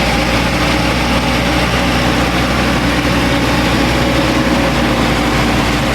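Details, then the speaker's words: 1985 GMC S15 (S10) 2.5 four-cylinder, 31,000 on the gauge, straight-piped without catalytic converter, suspected head gasket issue: hot engine with loud raspy open-pipe idle that stays too high, faint uneven beat; owner suspects the idle control valve. "Now the engine's already hot. That idle should be coming down. It shouldn't be that high still yet."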